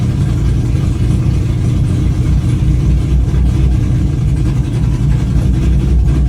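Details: Engine under acceleration during a data-log run, after misfire was fixed with new MSD spark plug wires: strong, even pull under load with no stumbles, pops or skipped beats; runs clean and smooth.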